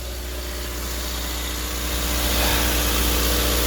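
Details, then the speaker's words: Chrysler 200 that would not crank, battery at only 8.7 V, starts with a jump supply on good cable connections and settles into a smooth, even idle with no misses or knocks; runs normally, and the battery needs replacing. "Yep, cranked up, and I am running."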